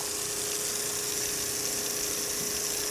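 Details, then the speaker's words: Repaired RV drinking water pump (was leaking; cleaned and reassembled) transferring water: steady, even mid-tone hum over water rush, no knocking or surging; quiet, seems to be working, fittings leak only because loosely screwed on. "Quiet pump too. So it seems to be working."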